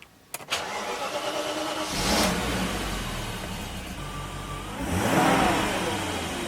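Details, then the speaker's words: 1995 BMW 530i E34, M60 V8, 5-speed manual: quick crank, clean catch, rev flare settling to smooth even idle, then a blip dropping back cleanly after new gasket and PCV valve; engine running beautifully. "engine is running beautifully"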